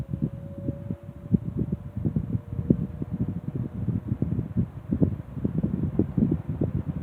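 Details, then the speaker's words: Restored 1960s Phoenix 16-inch box fan, motor freshly cleaned and serviced, replacement toggle switch, on low speed: soft steady hum with gentle rhythmic blade whoosh, no rattles or scraping; normal running. "Well, let me go ahead and I will fire this thing up now. Start it up on the low speed."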